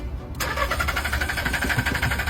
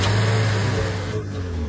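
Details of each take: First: Secondhand car that won't start at night but starts during the day. Steady starter cranking at about four pulses a second, and the engine never catches. Throttle cleaning, plugs and pump had not fixed it. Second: Secondhand car that would not start at night but started by day, after repair with parts reinstalled: starts quickly and settles into an even, steady idle with no misfire or stumble; normal start and idle, problem solved.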